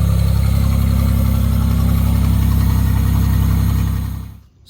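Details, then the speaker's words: 1987 Pontiac Fiero GT with newly built custom exhaust: deep, even exhaust burble with a steady pulse at idle, then a smooth blip and drop; engine runs healthy. "that is a running 87 Fiero GT with custom exhaust"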